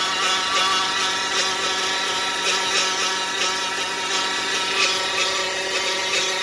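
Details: 2015 Dodge Caravan with engine light on and no forward drive: constant high-pitched whine over the running engine, steady without rising; points to a transmission-side complaint, exact cause unknown.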